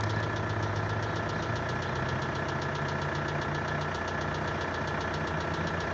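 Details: VW 1.9 TDI 66 kW diesel idling cold, with a sharp, regular knock about twice a second over the clatter, seemingly heard from the pulley side near the valve cover. The knock has grown worse over 2 years and is louder in colder weather; replacing the lifters and injectors didn't help, and the source is unknown.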